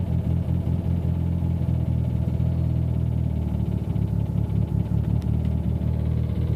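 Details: Abnormal noise at idle heard inside the car cabin: a deep steady drone with faint irregular rattling; the source of the noise is not identified.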